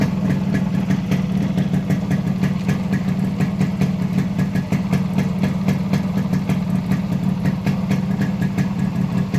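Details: Modified Yamaha RX100 (RX King) two-stroke with imported carburetor and Indonesian RX King CDI wiring alteration: crisp, even beat with steady popping exhaust pulses, no misses or cut-outs; healthy idle.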